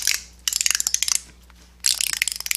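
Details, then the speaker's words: 4T65-E transmission teardown, forward and third ratchet-type sprag clutches spun by hand: quick bursts of crisp, even clicking, normal freewheel with no grinding. "We have 2 sprags here, forward and third. They're ratchet type."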